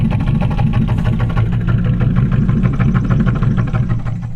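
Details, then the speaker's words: 1947 Cadillac Series 62 with a 350 flathead V8, cold start after repairs: a steady low rumble with even firing and no knocks or misses. The engine idles normally. "i just figured you guys might like a little you know cold start after all that work we did and uh she sounds good buddy"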